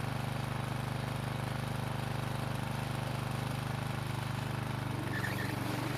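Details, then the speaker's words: Husqvarna walk-behind trimmer that wouldn't start, after carburetor repair and refit: small two-stroke buzzing at steady even pitch, no stumbling or surging; now running smoothly. "well it seems to be starting and working just fine now"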